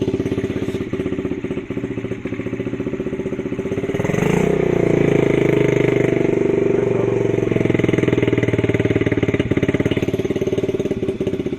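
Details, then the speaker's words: 2003 Honda CRF50 50cc, salvaged from the dump, possibly with a non-stock carburetor: revs rise and hang high for 5 to 10 seconds before sagging slowly back to a lumpy idle; returns normally when revved hard. Cause unconfirmed. "Revs up for like 5 to 10 seconds until it comes back down to idle."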